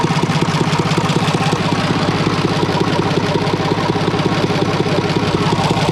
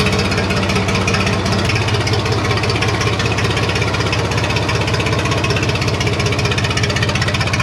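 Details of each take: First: IH International 484 tractor, D179 3-cylinder diesel, run outside on straight pipe after head gasket replacement: loud steady even chugging, no misses or knocks; fan hitting the shroud; runs healthy. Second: IH International 484 tractor, D179 three-cylinder diesel, first start after cylinder head reinstall with new exhaust valves and head gasket, straight pipe with no muffler: loud uneven idle clatter about 160 beats a minute with rattle; owner suspects fan hitting shroud, unconfirmed.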